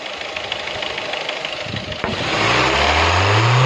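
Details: Engine knocking at idle: quick, regular knock of nearly four beats per second, then revved up; source unclear.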